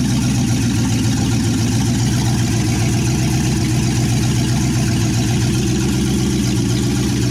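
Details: 1963 Chevy C10, 355ci V8 (350 bored .030 over) and Turbo 350, idling on its second firing after years unrun: loud, deep, steady rumble through open manifolds, even firing with no misses or knocks. Normal idle.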